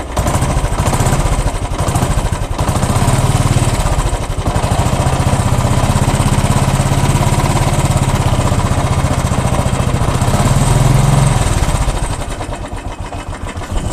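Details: 2012 Royal Enfield Classic 350 single-cylinder thumping at idle with an uneven mechanical clatter riding on each beat; abnormal engine noise, cause unclear.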